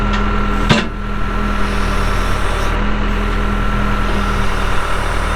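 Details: 1998 Case 580L Series II backhoe, Cummins diesel, 2,329 hours: loud, steady diesel idle with an even beat and one brief clank, no knocks or misfires; starts and runs good.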